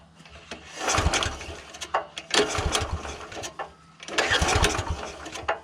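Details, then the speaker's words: Honda GX340 petrol engine on an auger, after a throttle linkage adjustment; spark plug later found carboned up: repeated pull-start bursts, each catching for a second or so before dying; hard starting and stalling. "I still having trouble getting this thing to bloody start pulled the spark plug out it's pretty carboned up"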